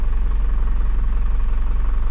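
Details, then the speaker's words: 2000 Isuzu NPR turbo diesel, sat abandoned about a year, first start after checks: fired up very quickly, settles to a steady, even idle with low rumble and light clatter, no knocks or misses; normal idle, sounds healthy. "sounds good though it's crazy how quick that fired up"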